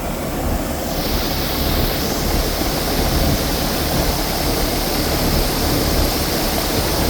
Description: Our AC Unit is making a hissing noise